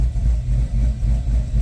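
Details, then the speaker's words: Chevy Caprice on ACES fuel injection after fuel was deliberately pulled from the idle area of the table: deep idle with a steady rhythmic chop of a few beats a second. The idle rpm is slow to come down, which the owner says is not right. "Now my idle ain't coming down very fast. I'm not liking that. That's not how it's supposed to run, y'all."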